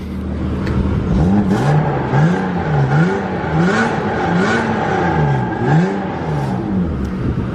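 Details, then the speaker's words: 1995 BMW 325i E36 sedan, 158,000 miles, long-sitting, warm, with catalytic converter and resonator deleted, muffler only: repeated throttle blips give a loud, raspy, tinny note rising and falling with revs. "so this thing's a cat delete resonator delete just a muffler let's listen to it"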